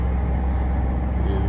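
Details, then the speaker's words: 1998 Chevy Silverado 1500 4.3L V6 Vortec 4WD idling after new fuel pump fixed low fuel pressure and hard starting; started quickly, fuel pressure about 52–53 psi; smooth, low, even rumble with no misses, knocks or surging; normal idle. "That baby's running good, though. It started up real quick."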